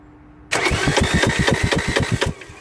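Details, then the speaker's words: 2009 Ford Mondeo ECOnetic 1.8 TDCi Duratorq turbodiesel, 125 hp, cranked via starter relay with camshaft sensor removed; fast even starter spin about eight beats a second, no firing or compression, camshaft does not turn; broken timing drive. "yes it did not turn now just to make sure one last check"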